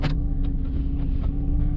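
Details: 2006 Jeep Liberty 3.7L after rough-idle repairs, back in park, no A/C or fan load: deep even rumble and steady drone holding rock-solid at 600 rpm, no hunting or surging; previously bounced 500–700, now smooth.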